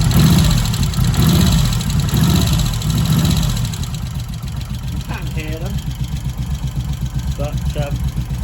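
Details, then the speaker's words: Moto Guzzi 1100 California Stone push-rod twin after tappet clearance adjustment, other side: even loping idle with light steady tappet tick; normal, inoffensive valve noise. "They're not offensive. That's fine. It is a push-rod engine after all."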